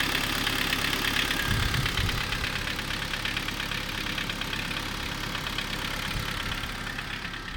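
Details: Kia Sorento 2 engine at steady idle with a sharp, fairly regular tapping about three per second over the hum; knock of unknown origin.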